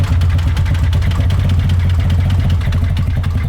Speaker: what do y'all think is the problem with this this is a 1999 Honda Odyssey sound like the engine is tapping inside